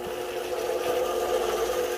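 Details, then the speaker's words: Kite-line winding machine motor after repair, with power reducer fitted; even mid-pitched whir and steady hum without knocks or surges: smooth normal motor running. "vamos ver aí ó como é que ele fica mansinho galera isso é vida irmão"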